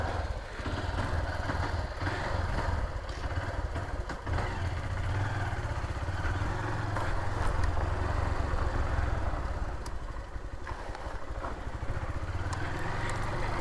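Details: Honda Titan 150 motorcycle, noise persisting after clutch bearing work and a new Metal Leve cylinder sleeve: uneven light clatter about four ticks a second on a busy single-cylinder idle; internal engine noise, source unclear.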